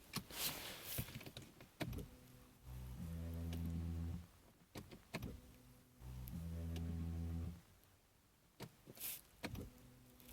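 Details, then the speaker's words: Saab 9-5 with replaced engine that cranks but won't start, key-on: two steady low electric hums of about a second and a half each; fuel pump priming normally. "yeah I could definitely hear the fuel pump"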